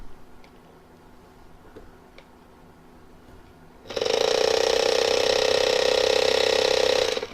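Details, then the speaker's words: Drone motor and plastic drive gear bench-tested off an AA battery, turning slower than in flight: quiet start, then about three seconds of loud harsh ratcheting grind with strong buzzing; worn drive gear. "Well, definitely that had a sound to it."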